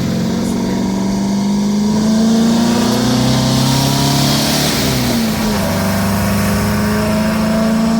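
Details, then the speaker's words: 1977 VW Brasília, air-cooled 1600 flat-four after cylinder-head repair, Solex 32 with 28 venturi, driving: pulls hard with smooth climbing note, dips at the shift, then strong and even; owner very pleased, healthy acceleration. "cara como muda o motor cara fico imaginando quando colocar comando se aumentar mais ainda sabe cara esse motor fica muito bom cara muito sério"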